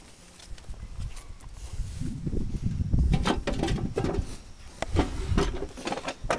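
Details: Old Farmall 450 tractor: uneven chugging of the starter turning the engine over, about three strokes a second, but the engine never fires; a hard start or no start.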